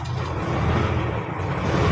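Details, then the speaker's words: Isuzu 6WG1 diesel after fitting newly calibrated injectors, formerly hard starting, low power, shaking and smoky: low steady rumble building evenly, quick response, turbo whistling; now running smooth. "Smooth na. Mabilis na yung response niya mga kaayos."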